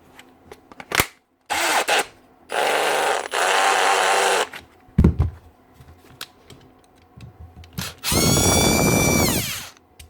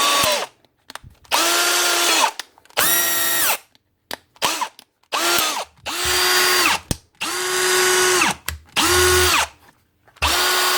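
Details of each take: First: Milwaukee M18 Fuel brushless drill running in short bursts with rough gritty grind under whine, from failed front rotor bearing; fixed by pressing on a new 625 bearing. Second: Milwaukee M18 Fuel brushless cordless drill after replacing a failed front rotor bearing and washing out packed-in debris; spins up in short trigger bursts with a clean, steady whine and no grinding, a normal run.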